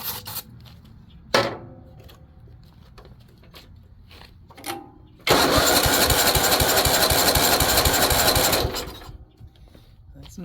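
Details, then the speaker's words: Weed Eater riding mower with Tecumseh OHV130 engine: handling noise, then about three seconds of steady cranking without catching; cranks but no start, no spark suspected, possibly a safety interlock. "good that's a no spark issue why is no good no good let's uh pause us a minute so for whatever reason it appears that maybe we have a no spark and you usually happens for a couple different reasons"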